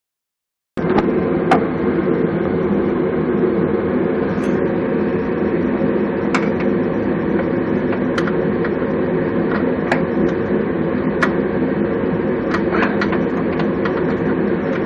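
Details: 2001 Toyota Celica GTS petrol engine running loud and rough: dense knocking clatter with occasional sharper raps; owner attributes it to a bad rod bearing, rod knock.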